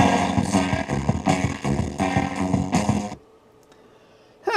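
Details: Music played through an experimental amplifier whose unbiased output stage sits outside the feedback loop: gritty, buzzy edge on quieter notes before cutting out, which is crossover distortion; moving the feedback takeoff to include the output stage improves it.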